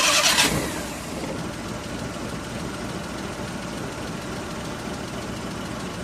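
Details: Suzuki F6A pickup after repair (distributor cap cleaned, tune-up, crank and transmission oil seals and tensioner bearing replaced), previously misfiring and stalling; quick crank and catch, then steady, even idle with no misses or knocks for five seconds; normal idle.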